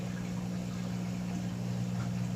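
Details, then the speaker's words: Frigidaire washer drain pump after repair (bad pump replaced, clothing pulled from between tubs, wires connected directly): steady low, even hum with no rattle or grinding as it drains; normal drain pump operation. "here you go it's draining that's how it's supposed to sound when the pump is"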